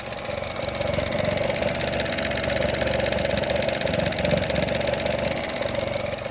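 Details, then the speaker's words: 2018 Chevrolet Trax with EVAP code P0443 and a MAF code, idling: light ticking about four times a second, not quite even, over a smooth idle as the EVAP purge valve on the intake manifold chatters open and shut. The valve is failing. "When a purge valve starts clicking like that back and forth, it's may not be failed completely, but it's failing."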